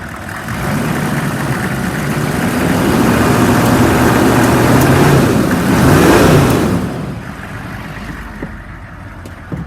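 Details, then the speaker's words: 2002 Chevy 3500 utility truck, 6.5 L diesel, 71,000 original miles, jump-started on two jump boxes with its transmission disconnected. Diesel clatter climbs smoothly on revving, then drops to an even, smooth idle with no knocks. Not overheating; engine healthy. "All the gauges appear to be working. It has not overheated. It's idling smooth and it revs up nice."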